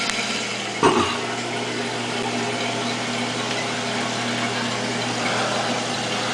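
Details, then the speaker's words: Toilet after installing a new Fluidmaster fill valve, water supply turned on: a clunk as it opens, then smooth steady rush into the tank, no hammering or squeal; valve fills normally. "So when the float goes up, the water shuts off. If the float goes down, it fills with water."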